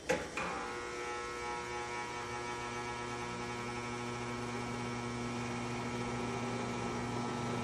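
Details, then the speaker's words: Vintage McGraw Edison Zero box fan, around 1970s, just cleaned and oiled, started on low: brief startup thump then a constant low electrical buzz under the whir; it has always buzzed, cause unknown. "the uh newer fans just don't get that same startup sound and this one has always had a buzz never never did know why but it just wouldn't be the same without it"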